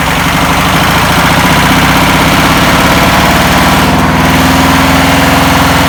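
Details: 1962 VW Type 2 bus flat-four, first start after over 40 years, with new belt, cleaned points and fuel poured in: loud, steady idle with consistent throb, no knocks or stumbles; normal idle.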